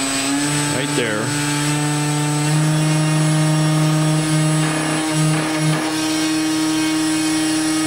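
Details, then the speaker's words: RC airplane electric motor driving a 23-inch drive shaft extension to the prop, bench-run uninstalled with new bearings breaking in: steady whine, mostly smooth, slight harmonic vibration near half throttle, likely the unsupported shaft; expected to disappear once installed. "but it's pretty smooth it's got a little harmonic about Homme maybe almost half throttle"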